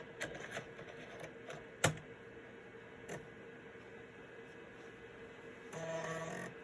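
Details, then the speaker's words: Citizen W1D floppy drive in a Compaq Armada 7770DMT after belt replacement, reading MS-DOS 6.22 boot diskette: quick dry head-step clicks then short steady motor whir, no scraping. Normal floppy drive seek. "Everything sounds good. Doesn't mean it is good. That's a very good sign."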